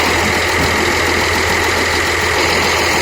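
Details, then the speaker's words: Atlas 330.1 crane hydraulic pump with air supply pressurizing hydraulic tank (new filter alone didn't cure noise): steady even drone with faint high whine on top, only slight residual noise; pump running normally. "Pero medyo wala lang. Kunti-kunti na lang yung ingay. Hindi masyado."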